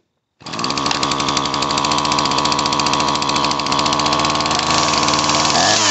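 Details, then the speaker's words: Dolmar chainsaw, two-stroke, ZAMA C1Q carb after rebuild kit fixed flooding: steady high buzzing with slightly ragged beat; starts and keeps running, carburetor not yet adjusted. "there you have it carp kit and it's running i have to just adjust the carburetor for when it gets worn"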